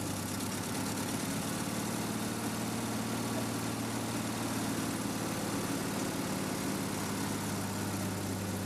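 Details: REO M-35 truck, very cold start with a little throttle held to keep it running: a deep, even idle with a low steady rumble and no knocks or misses. Normal cold warm-up behaviour.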